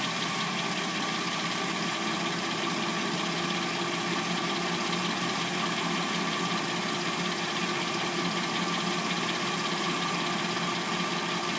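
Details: 2006-09 Hyundai Sonata with a replacement engine, warmed up and idling: a fine, even ticking chatter over a hissy background. Noise heard as timing chain noise, cause not confirmed.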